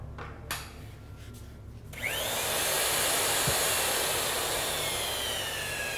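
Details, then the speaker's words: Boiler tube roller doing a straight roll, oiled tapered pin expanding the rolls: high whirring motor spins up, then pitch sags steadily as rolls tighten against the tube in the tube sheet; normal motor slowing under load. "you hear that road bogging down that motor bogging down that's that roll really tighten it up against that tube and press it out and that's pretty much it"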